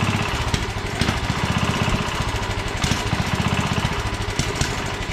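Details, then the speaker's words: 1967 Sears Suburban 10 tractor, small single-cylinder engine after restoration: low idle wavers slightly; brake cleaner sprayed behind the carburetor area changed rpm, revealing vacuum leaks causing unstable running. "well I discovered an issue you I got some brake cleaning I shot it in behind here and it changed RPM when I did that so it's got um vacuum leaks so I'm going to take care of that"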